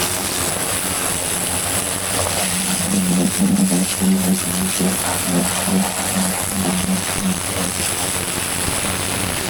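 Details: Vintage David Brown 990 diesel tractor, revived after 20+ years abandoned, clutch freed: steady low chug with even beat, no knocks or misses; running smoothly and healthy.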